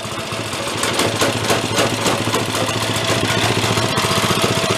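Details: Ariens snow blower single-cylinder engine, pull-started with choke, blowing snow after earlier revival: pulls steadily at quick even beat with auger engaged, no misses or knocks; normal running under load.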